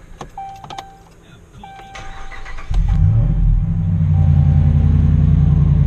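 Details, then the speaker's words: 2009-2015 Ram truck V8 with factory dual exhaust, just after bolt-on Carven muffler replacement: short crank then deep steady even idle, no puffing or ticking; sounds good, next checking underneath for air leaks. "That sounds real good. Now I just want to crawl underneath here, make sure we don't have any air leaks."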